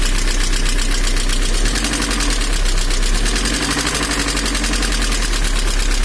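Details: VAZ 2112 engine at idle: steady, fairly loud, slightly uneven tapping at about four knocks a second, heard mostly from the manifold side; engine knock of unknown origin.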